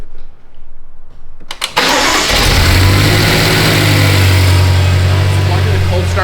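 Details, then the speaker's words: BMW M5 after engine rebuild and VANOS repair, cold start: brief crank, then catches cleanly and settles into a steady, even high cold idle with no knocks or rattles; timing fine. "Um, hey, it didn't blow up. Didn't blow up. So, the timing must be fine."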